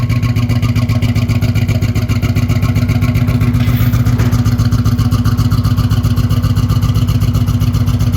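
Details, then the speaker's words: 1987 Buick Turbo T (Grand National) at cold start after 12 years off the road, new fuel line and filter fitted: strong, even low idle pulse, no knocks, misses or rattles; oil pressure mid-60s, alternator charging; normal idle. "I'm so excited seeing this thing running and driving under its own power. After 12 years, it's incredible."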